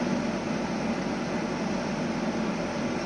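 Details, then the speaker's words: Outdoor compressor of 2009 Samsung 9000 on/off air conditioner just started after burnt capacitor replaced: steady, even hum and airy rush, no clicking or stalling; compressing gas, pipe cooling to 17 °C and frosted. "anche dal rumore si sente come il compressore È appena partito è partito sta comprimendo il gas"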